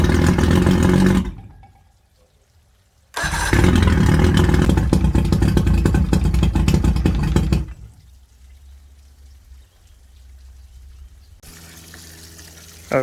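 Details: 1979 Johnson 90 hp V4 Seahorse two-stroke outboard on a free Steury X150 being restored, on water muffs with 50:1 mixed fuel, fires and runs in two bursts with a raspy, even two-stroke buzz before shutting off; starts and runs normally.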